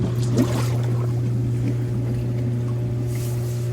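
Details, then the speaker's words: Hot tub after replacing a burnt spa pack with a new BP7, refilled, single pump run on high speed during priming: steady low motor hum with irregular gurgling and sputtering water as trapped air purges from the lines. "should get all the air out air rock i just kind of turn it on high speed and then you can click it down to low speed if it starts coming out fast there it's gonna go"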